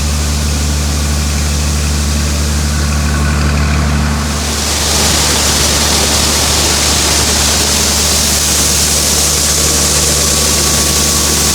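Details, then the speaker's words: Cummins 5.9 diesel in a farm tractor at about half throttle: deep, steady drone rising and holding even, with no knocks or misses. Healthy engine, normal running. "just listen to this i love that sound five nine cummings about half"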